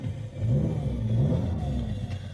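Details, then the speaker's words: Transported vehicle with 38,000 miles, check engine light on, low fluid: deep loud rumble swelling with revs and settling back; exhaust louder than it should be, running rough, possibly a leak. "Exhaust is kind of loud and low tire."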